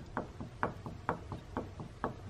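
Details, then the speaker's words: Jeep with a wobble, wheel rocked by hand at the top; dull clunks about twice a second, alternating heavy and light, showing looseness in the hub. Owner is pretty sure the wheel bearing is bad and replaces it. Wheel hub play clunk. "can hear that moving in there so pretty sure it's wheel bearing"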